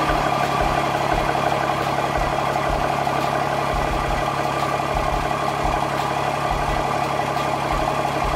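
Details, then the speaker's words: Diesel truck's first startup after compound turbo install and exhaust opening sealed; quiet, even idle with soft low pulse and no knocks or rattles, quieter than before. Normal diesel idle. "I say baby it's really quiet it sounds good definitely sounds a little quieter than then the second tennis 467"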